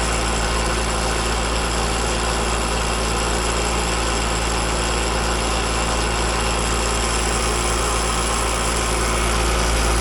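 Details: Outdoor AC unit with an Alliance scroll compressor, at first suspected of liquid floodback: a loud, harsh, steady rattling drone. The system is then found to have almost no refrigerant in it.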